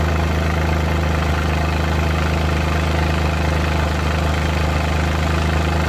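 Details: Suzuki Multicab F6A engine thrumming just off idle with an uneven, lumpy pulse and shake: random misfire.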